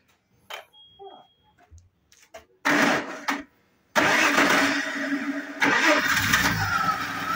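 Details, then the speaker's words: Audi engine after flywheel replacement: starts at once and holds a smooth, even idle with no knocking; the knock came from a broken flywheel, not the engine; rear main seal found not leaking. "Міне ешқандай дыбыс жоқ, тақылдап тұрған дыбысы өшті. Яғни тақылдап тұрған мотордан болмаған. Мынау неден болған, маховиктен болған."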